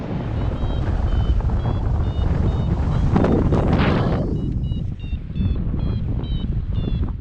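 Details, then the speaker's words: Paraglider vario over Krusevo, Macedonia: short high pips about twice a second through heavy wind rush, beeping higher and faster in a thermal, capped by an inversion near 1600 metres. "Just a little out front, I find another thermal. You can hear my altimeter beeping higher and faster, but again I bang my head on the inversion at about 1600 metres."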